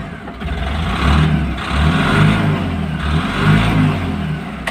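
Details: Tata Ace Gold BS6 diesel with a no-start traced to an earth (ground) wiring fault, now starting after the repair; picks up cleanly through several throttle blips and drops back smoothly, no hesitation; normal revving.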